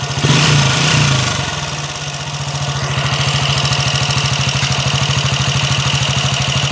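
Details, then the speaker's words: Honda TMX 155 single-cylinder motorcycle, hard to kick-start: steady idle with hard, regular metallic knock about three times a second, very loud; worn bottom end, crushed pilot bearing. "Ayan naandar na natin mga k [Musika] Bro yan napakaingay mga kabro"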